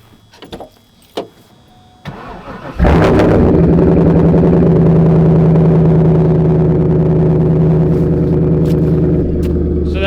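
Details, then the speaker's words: LS1 V8 swapped into an R32 GTR with a new Holley wiring harness, after fixing its earlier poor running: a few clicks, then it catches and settles into an even, deep, regular idle rumble. A healthy V8. "how V8 is supposed to sound nice clean Rumble tone"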